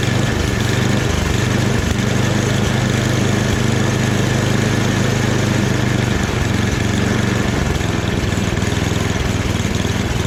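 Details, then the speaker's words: Free snowblower after a full rebuild, small engine running at medium throttle with a steady, even putter and no hunting, surging or misses. The transmission works too, so it is running properly. "But even the transmission works. Everything seems to work with it. So I'm pretty surprised."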